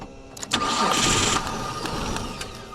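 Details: Kia minivan that sat for years and was mouse-infested, start attempt: starter spins the engine with a rough, uneven churn but it never catches; relay works, owner suspects a bad or oily coil pack, unconfirmed.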